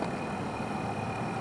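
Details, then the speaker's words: 1997 Buick LeSabre Custom heater blower motor, temperature set to high, engine off, running again after being tapped with an ice scraper (temporary band-aid, not permanent fix); steady low whir with faint constant high whine, blower spinning. "voila your heater is working now when you do this you're gonna remember that"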